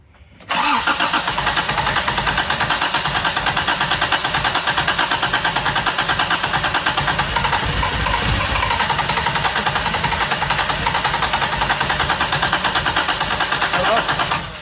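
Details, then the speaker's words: 1987 Toyota Tercel 4WD after a 4A-C engine swap, first start attempt: steady starter churn about three turns a second with high starter whine, no firing; owner suspects starter staying engaged. "Dump a little more gas down the throat. Turn the starter back. I think the starter was staying engaged."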